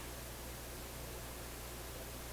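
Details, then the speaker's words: RCA Victor A-23 vacuum tube radio after replacing paper capacitors, switched to another band: only a flat, even hiss with faint low hum and no stations; no reception on this band. "Now, let's go to the next band. I hear distinctly nothing."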